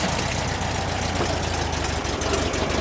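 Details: Air-cooled flat-four being warmed up before a drive: steady, even chatter with light valve tick at an unchanging speed. Normal idle for this engine.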